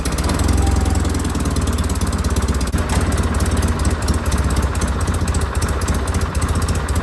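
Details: John Deere 316 tractor at full throttle: engine holds a steady, fairly low thumping beat with no climb toward governed speed; throttle cable sleeve slipping through its crimp keeps it from full rpm.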